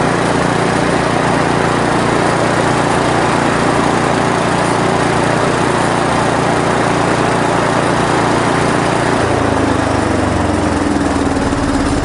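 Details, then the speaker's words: 1970s Briggs & Stratton generator built for Princess Auto, carb not yet cleaned: the single-cylinder engine runs steady with no misfire or knock and a slight pitch change near the end. The motor is fine, but there is no electrical output, possibly a cord or generator-internal fault. "Well, motor works good, but we're not getting any power there, so could be a cord issue, could be inside the generator issue."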